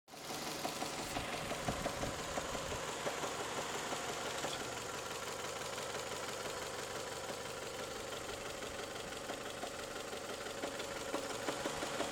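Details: Toyota 3S-FE engine at warm idle, knock appearing only after warm-up: sharp, strong, uneven knocks about three per second that come and go, sometimes just rattling; source unknown.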